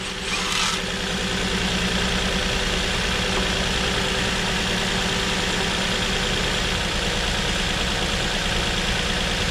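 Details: 2007 Nissan Murano 3.5L V6 idling with a cylinder 3 misfire (rear bank, under intake manifold): steady idle with uneven, loping beat and missing pulse; faulty ignition coil confirmed by swapping coils, fixed with new coil.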